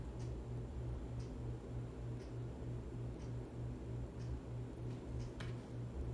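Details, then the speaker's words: 42-inch Harbor Breeze Ocracoke ceiling fan, installed around 2005, on high speed: steady low hum with a soft tick about once a second from the turning blades, no rubbing or wobble; moves decent air, running fine. "this is pushing out some decent air thing I really like about this fan does not wobble at all does not wobble it's really a pretty good fan"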